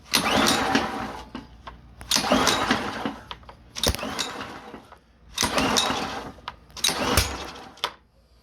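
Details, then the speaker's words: Honda 2400psi pressure washer, long sat outdoors, new spark plug fitted: repeated pull-start bursts about every second and a half; it only pops once in a while and never catches to run. "I can usually get it to pop one or two times so it's like it's only trying to fire off once in a while"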